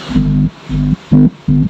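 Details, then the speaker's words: Polytron PAS 79 active speaker, the side the owner reports as normal (other side crackles from a fatigued transistor): short clean pulsed tones play evenly with no crackle, hiss or distortion; normal playback. "Dan menurut penjelasan pemiliknya, bagian samping itu normal."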